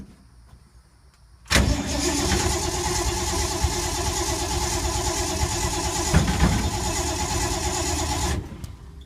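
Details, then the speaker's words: 1952 Ford unstarted for a few months, steady rhythmic cranking at three to four beats a second for about seven seconds, never catching; owner suspects flooding or needing prime; crank no start. "it hasn't been started in a few months shame on me i think it made the mistake of flooding"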